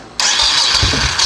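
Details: Honda Shadow 1100 motorcycle, sat for years, with brand-new battery: starter kicks in sharply and spins fast and steady with no dragging; strong normal cranking.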